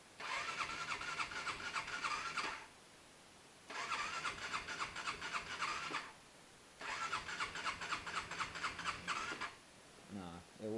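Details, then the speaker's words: Fuel-injected motorcycle in cold weather, single-digit temperatures, FI light on: three slow, uneven two-to-three-second cranks with no catch; weak cranking, won't start, owner guesses dead battery. "crank over it's just enough to turn on the panel i'm guessing the battery is complete"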